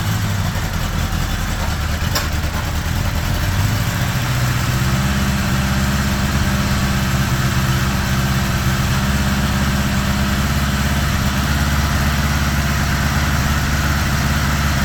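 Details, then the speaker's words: 1975 Honda GL1000 Gold Wing flat-four after water pump reinstall with new gaskets and o-rings; even idle slightly high with choke on, no misses or knocks, no coolant leak, much less smoke: normal idle. "That sounds pretty good right there. Idling a bit high, but the choke's still on. No leaking. Much less smoke."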